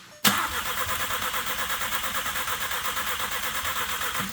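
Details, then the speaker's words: VW Golf R bought with engine and transmission damage, after swapping sensor wires and clearing codes: starter spins engine steadily, about five or six compression pulses a second, but it never catches or fires; crank no start. "Jeez. Doesn't want to fire at all."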